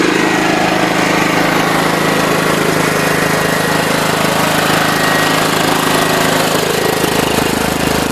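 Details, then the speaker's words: John Deere LT133 lawn tractor at wide-open throttle, after 3/4 throttle: a steady, even high-speed drone with no surging or hunting, quieter than 3/4 throttle; running normally. "that's about 3/4 throttle there and then there's wide open throttle which is really quiet"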